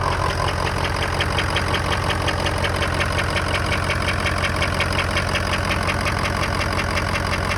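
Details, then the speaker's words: 2003 Ford F-250 6.0 diesel at idle: soft steady tick-knock about 167 per minute, right side near alternator; mechanic placed it near injectors above pistons, not loud but new; cause not yet found. "He said it's coming from a location on top of where the pistons are. That he said that's where the knock is coming from. It's not loud, but it is noticeable cuz I never heard it before."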